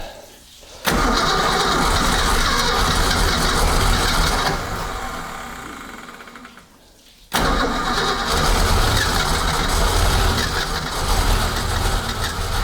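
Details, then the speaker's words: 1976 Ski Nautique boat engine with Pertronix D231801 distributor, first start after restoration, timing about 5° BTDC: cranks, catches, runs a few seconds, fades and dies, fires again roughly; hard starting, stalls, owner suspects fuel. "so right now I'm thinking it's fuel because if I pump it"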